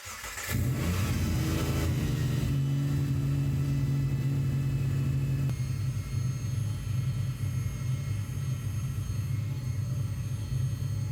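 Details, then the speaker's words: Supercharged Subaru Legacy, first start: steady idle with a thin, high whistle on top. A vacuum leak at intake flange homemade gaskets, not supercharger whine, possibly a flange warped in welding; later sealed with RTV. "that whiny whistly sound that's not the sound of the supercharger that's the sound of a vacuum leak and it ended up being on one of the flanges"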